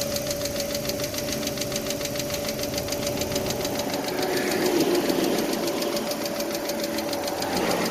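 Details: 2006 Chevy Aveo LS engine running with a quick, light, regular tick, about three to four per second; ticking source not yet pinned down.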